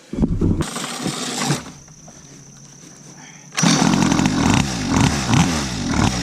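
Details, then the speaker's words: Cheap mini motorcycle, years as a decoration, tyres aired and fresh gas added, ridden outdoors on blacktop: small engine revs crisply, holds a raspy steady buzz under throttle without sputtering; running good, normal. "alright yeah this thing's running good"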